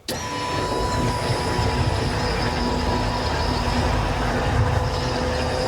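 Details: Electric fuel pumps whine thin and steady under a noisy background while priming a 2JZ-swapped turbo VL Holden Commodore before its first start in 8 years; pressure reads about 50 psi, and one pump was found wired backwards.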